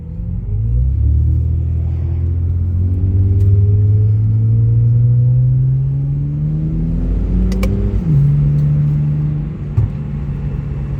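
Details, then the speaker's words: Car exhaust with all four rust holes patched with license-plate patches and hose clamps, revving: deep smooth drone climbing and falling with revs, no rasp or puffing; much quieter, more low-end power, sealed. "it's great. It's so much quieter and there's so much more power in the low end."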